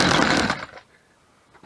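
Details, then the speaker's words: Chainsaw held down by foot, pull-started on full choke: short, harsh burst of firing under a second, then silence; caught and died on full choke. "so you see I kind of got some fire there, but then it went out. I'm going to put the choke back in."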